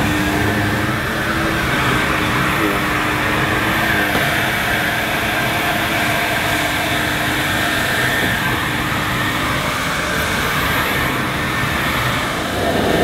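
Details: Electrolux 502 upright vacuum, about 40 years old, just unclogged and still needing a new belt, brushes and filters, rolled over carpet; a steady, even motor roar with brush hum, no rattles or surging: normal running.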